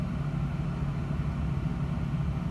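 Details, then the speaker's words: 2000/2001 Toyota Tundra Limited, one owner, about a quarter million miles, idling warm for about 20 minutes with the air conditioning on in high-80s Georgia heat; a steady, even V8 rumble with no knocks, misses or surging. "But I've just been sitting here letting the truck idle with the air conditioning on. And it seems to be doing fine."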